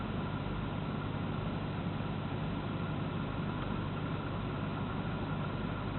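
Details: Alpina engine at steady idle with an uneven, lumpy beat that stumbles now and then; misfire at idle.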